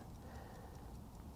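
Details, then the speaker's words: Vintage Howard Miller ship's bells clock after straightening a bent wheel: crisp, strong, steady tick-tock with even beat; previously weak, slowing and stopping. Movement running healthily. "yeah it's running I can see it and I hear it you know what I think I got it I really think I got it this time it sounds really strong"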